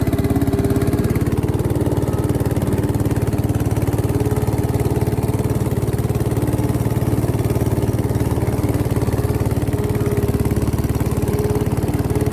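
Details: 1968 Bolens Husky 775 Husky Pup lawn tractor, restored and swapped to a Hatz 1B30 V single-cylinder diesel, mowing: steady, even thump about 220 beats a minute holding pace, no misses, normal running under load.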